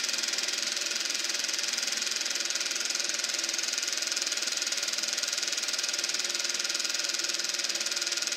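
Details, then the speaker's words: Eberspacher B1 gasoline heater from a VW Beetle, bench test: steady high blower whir with faint ticking about four per second, no burner roar; flame-out with fan running, glow plug hot, owner suspects battery charger issue. "Sounds like the flame went out. That's stone cold now."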